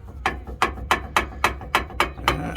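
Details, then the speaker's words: 2001 Dodge Ram 1500: sharp creaking clunks, about three a second, as the shock is pushed by hand; also heard over bumps while driving; shock absorber worn and needs replacing. "also i think we're gonna need shocks you can hear it going over uh over the bumps and stuff"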